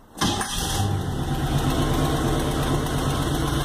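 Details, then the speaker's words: 1989 Toyota truck with a swapped-in Chevy 350 gas V8 starting up: it catches quickly and settles into an idle with a soft puffing chug from a small exhaust manifold leak. It responds well. "you can hear a little chugging from the exhaust leak that's in there but responds really well"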